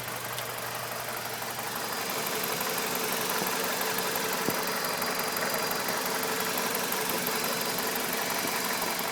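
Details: BMW E46 with N42 engine idling, recorded up close with the MAF unplugged. Uneven, loping shake about three times a second over busy clatter. Rough idle persists even with the MAF disconnected; cause not found.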